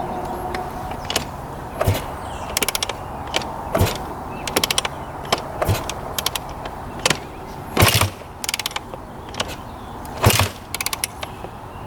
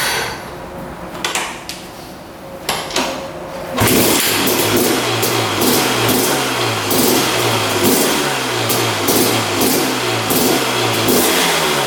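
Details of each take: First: 2001 Honda CR250 two-stroke, long-sitting, repeated kick strokes with clunks and ratcheting but never fires; won't start. Old fuel looked heavily oil-mixed and purple, owner suspects it and drains it, not confirmed. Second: 2001 Honda CR250 two-stroke dirt bike after draining old fuel and adding fresh 40:1 premix: brief cranking, then it fires into a crisp buzz with clean repeated throttle blips and no misses; running healthy.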